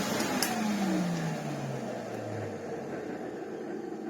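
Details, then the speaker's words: 1987 Hoover Sensotronic System 20 vacuum cleaner running with a whiny, rough motor tone that sags in pitch; a motor bearing is going out. "That is the annoying sound that this machine has. There was a bearing going out somewhere, and I found these motors quite hit and or miss."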